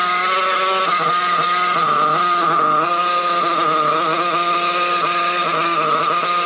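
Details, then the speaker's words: Trophy RC buggy small engine running in cold weather: a high, buzzy whine that hunts and wavers at the bottom end, with plenty of smoke at top end; the low-speed needle is set lean, a carburetor issue. "Yeah, definitely a low speed needle problem. Plenty of smoke at top end, but the bottom end, you can hear how lean it is."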